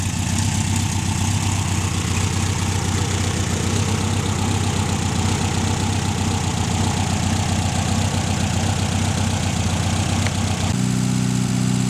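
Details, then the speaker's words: Air-cooled VW 1600 engine that sat 10 years exposed to salt spray, running about 10 minutes on fast idle after its first start, run from a temporary tank while waiting for it to run out of fuel. Fast, even, steady rhythm with no misses or knocks; runs healthy. "Been sitting there running on fast idle for about 10 minutes, just waiting on it to run out of fuel. Happy as Larry."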